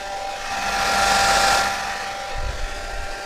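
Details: Hair dryer on low (first) speed, whose reported fault is a crackle like something rubbing at second speed: smooth steady air rush over an even motor hum with no crackle or rubbing; runs normally on low.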